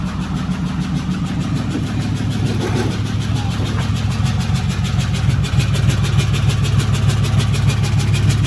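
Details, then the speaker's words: 2008 Dodge Ram 3500 6.7 Cummins, bought as a no-start with fuel reaching the rails, first start: diesel idles with steady clatter and an uneven lumpy beat, rough idle but no smoke and oil pressure present; possibly not charging. "Oh, it's running. Does not sound good. >> I guess I'm going to sit here and let it idle."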